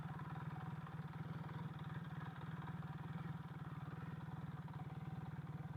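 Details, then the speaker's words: Single-carb Kawasaki KZ440 once warmed up after a rough cold start: steady, even low putter at idle with regular firing and no knocks or misses; a healthy idle. "oh look at a nice nice Idol going on right now let's park it right here"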